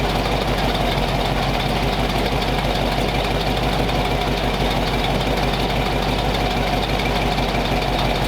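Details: Warm flathead V8 after about 20 minutes of idle, temperature back down to 180 degrees with thermostat open, 30 psi oil pressure, no exhaust smoke; steady, even idle rumble with no misses, knocks or ticks, running smooth.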